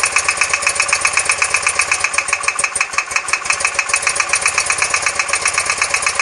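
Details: R100S engine about 500 km after a rebuild, with heads retorqued and rockers and rocker side play adjusted: sharp metallic knocking of about four per second over a lumpy idle on the left side when cold, gone when warm; piston pins and con-rod bushings later found fine.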